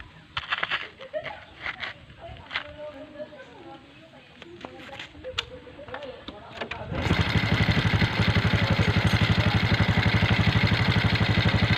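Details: Motorcycle that kept misfiring and dying, after fitting a new carburetor: it fires up and settles into a steady, even idle, no longer misfiring.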